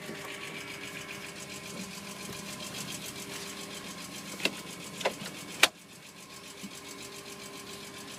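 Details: BMW E46 M3 at idle: light fast ticking with a few louder clicks midway; suspected valve-train tick needing valve adjustment, not confirmed.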